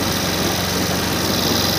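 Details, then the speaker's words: Suzuki Access BS6 fuel-injected scooter showing FI warning and check-engine light, just started; steady fast hiss and buzz with no dip or hunt, idle sitting too high. Mechanic suspects a cut or broken wire; cause not confirmed. "Engine देखो इतना fast हो गया, अभी शुरू नहीं हो रहा, ये देखिए"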